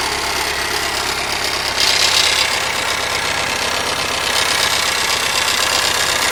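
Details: Rover engine at idle with sharp metallic ticking about four times a second over a steady idle; engine knock from inside the engine, owner asks what the cause might be.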